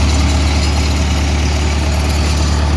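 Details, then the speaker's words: SA-200 welder on a second-gen, idled up a little: deep even low thrum, steady beat, no misses, knocks or hunting; quiet, smooth-running healthy engine. "Get up here and idle this thing up a little bit. Super nice machine. I love using it. quiet, smooth running machine."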